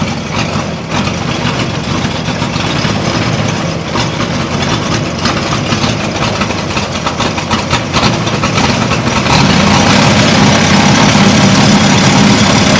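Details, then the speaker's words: Caterpillar D2 crawler repowered with Holden 202 petrol six, run after about 12 years: uneven labouring beat sags, nearly stalls while driving, then steadies; no power, carb suspected to need tune-up. "I knew it was going to stall it's making no power at all running like"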